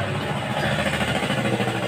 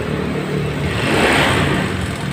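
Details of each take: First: 2015 Honda Scoopy scooter idling after replacing the piston and honing the cylinder scored by oil starvation from irregular oil changes: even, soft regular putter with no knocking or rattle; engine smooth again. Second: 2015 Honda Scoopy scooter brought in with very rough, harsh engine noise, oil-starvation history unknown; rough clattery mechanical roar rising with revs; mechanic suspects worn piston and cylinder.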